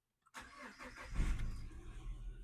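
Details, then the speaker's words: Car ('Bumblebee') started after repair with everything back in place: short crank, then it catches and settles into an even, low idle with no knocks or misses, engine lights off; normal start and idle. "So, everything back in place. Let's start the car. It started. Okay. Engine lights gone off."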